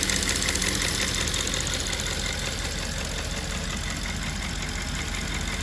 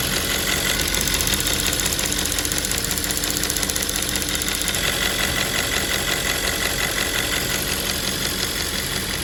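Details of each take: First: Audi S5 4.2 V8 2010 at steady idle with a light, fast ticking of about three clicks a second from a faulty fuel purge valve, recorded before the valve was replaced. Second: 2010 Audi S5 4.2 V8 petrol idles smoothly with a steady, even hum and no obvious ticking; the repair being shown is replacing a faulty fuel purge valve that causes ticking.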